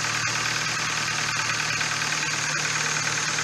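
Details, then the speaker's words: Hyundai i30 1.6 16v, 140,000 km, after a faulty timing chain tensioner caused a jumped chain and was fixed: steady idle with even light top-end ticking, no stumbling or stalling; runs very nicely. "No i teraz musimy się z właścicielem auta zastanowić czy jest sens właśnie wyrzucać ten cały zestaw który ktoś tutaj włożył i ma teraz chodzi bardzo ładnie"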